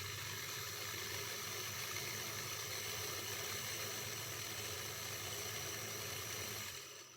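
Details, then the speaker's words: Old Jouef HO Class 21/29 model locomotive motor, run after screwing the plate on and before refitting the worm gear: smooth, steady high-pitched whir that winds down; motor spins freely and sounds healthy. "Seems okay."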